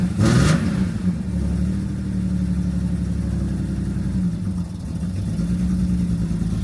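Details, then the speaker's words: BMW E46 M3 after long storage, first start of build, misfire in cylinder five: uneven, lumpy idle with rough chuffing beat under a steady drone, plus a major exhaust blow underneath; engine misfire with exhaust leak. "I don't know whe you can hear that, but I've got a major exhaust blow underneath me. Terrible exhaust blow. where we ain't running right."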